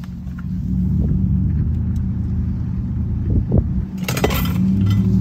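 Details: 2021 Ram Limited on factory air suspension with 33x12.5 tires on 22s, windows down at highway speed: steady, even low road roar with no rubbing or scraping; tires sound normal.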